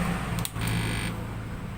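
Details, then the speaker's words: 16-MOSFET inverter board driving two iron-heater loads: heavy low transformer hum, then brief drop as the board cuts power and its light blinks twice, signalling overload past the set limit, adjustable by a VR trimmer. "มีเสียงหม้อแปลงทางนะฮะแล้วก็และก็บอดVGSตัดไฟนะครับเจอกระพริบ2ทีนะมีไฟกระพริบ2ทีคือมันฟ้องว่าโอเวอร์โหลดนะครับ"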